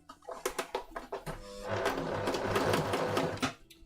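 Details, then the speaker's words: Sewing machine: a few single stitches, then a fast steady run with a loose, uneven rattle, owner wonders if it is just the spool; rattling noise, source unconfirmed. "what is that rattling noise seriously is it just a spool"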